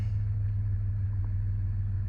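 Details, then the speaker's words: Old Ford Ranger after replacing bad fuel injectors, new intake manifold gasket and spark plugs; smooth steady low rumble with no skips; normal idle after repair. "oh man that's running about a thousand times better can't complain with that runs like brand new truck"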